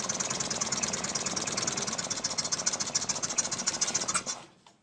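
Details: Piaggio Liberty 125 scooter after a starter electrical fix and a new spark plug, barely started with starter spray: thin, rattly idle pulsing about twice a second, stumbling before dying; weak running, lack of power, cause not yet found.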